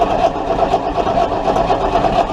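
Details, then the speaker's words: Chrysler 318 engine cranked during a spark test, only a tiny spark seen once; starter grinds at a steady, even pace but it never fires or catches: cranking with no spark. "Okay. Well, we're not getting spark. Got it once, so I don't. Let's see if it gets any spark."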